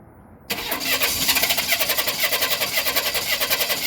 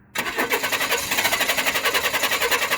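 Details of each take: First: 1995 Chevy Blazer 4.3L, relative compression check, clear-flood cranking with the cylinder 1 spark plug removed: fast steady cranking where one beat per cycle sounds lighter, showing low compression on cylinder 1. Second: 1995 Chevy Blazer 4.3L CPI with 4L60 transmission, recent spider injector replacement, relative compression check in clear-flood crank with all plugs in: starter spins steadily with evenly matched pulses. One cylinder draws slightly lower amperage, but compression is even.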